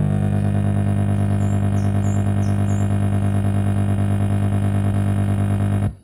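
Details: Polytron active speaker, powered, touching the signal input: loud low buzzing hum that stutters about three times a second, from cracked solder joints in the amplifier.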